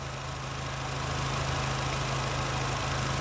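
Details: 2012 Fiat Punto 1.6 16V E-TORQ, brought in after misfiring and stalling, now idling normally after O2 sensors resumed working, programmed for gasoline: steady, even idle with a smooth low hum, no misses, stumbles or knocks.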